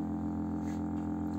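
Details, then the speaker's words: Homemade electromagnetic pulse motor with about 10 coils at top speed, about 430 rpm by frequency reading, wheel not properly balanced and wobbling; steady low hum with even pulsing at constant pitch, running maxed out. "so this should be about 430. so if we look at this sounds like it's maxed out"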